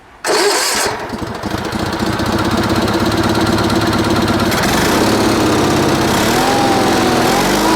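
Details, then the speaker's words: Sears Suburban SS16, 16 hp Onan twin, after moving a fuel line hose clamp that the linkage hit: catches after a short crank, settles into an even, steady run, no misses, knocks or smoke, throttle works; normal running. "How about that? We got us a running engine, not smoking. Throttle works."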